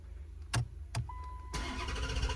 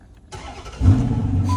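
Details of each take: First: 2011 Dodge Challenger, crank no start: two clicks, then the starter spins the engine strongly at about four turns a second without catching. Battery charger connected (13.4–13.7 V), low ignition voltage code seen earlier, water in trunk suspected by customer. No fuel delivery. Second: 2011 Dodge Challenger with a crank-no-start complaint, after the fuel pump is heard priming: quick crank, engine catches and settles into a steady idle while a chime sounds; starts normally.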